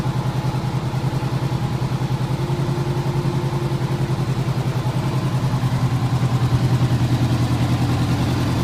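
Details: 1985 Honda Gold Wing GL1200 Aspencade, freshly rebuilt carbs and cleaned tank, after sitting seven years: smooth, even idle, steady low exhaust pulse about three and a half beats a second, settling as it warms; healthy.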